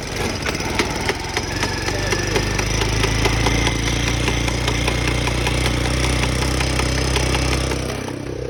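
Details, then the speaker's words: Motocarguero cargo motorcycle: in first gear a fast, regular ticking grind, roughly four per second, over the running engine, gone when shifted to second; broken first-gear pinion. "ese ruido miren cuando lo paso a segunda ya ahí se le va el ruido y si lo devuelvo a primera cuando pasa así muchachos siempre es que se parte el Piñón de la primera"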